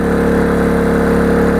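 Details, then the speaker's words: Oxseryn 2500 W inverter generator (1800 W running, 2500 surge) powering a 1500 W heater on high, drawing about 1425 W; steady, even quiet drone with constant pitch, no surging or hunting, normal running under heavy load. "Hear how quiet that thing is. I'm talking normal, I'm not shouting."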